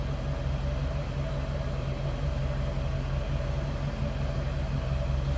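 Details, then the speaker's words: 1978 Cadillac Eldorado Biarritz V8, same family since new, idling and heard from the rear at the tailpipe: a steady, even low burble with no misses, ticks or knocks; normal, very stock-sounding idle. "sounds as you'd expect. Very stock sounding."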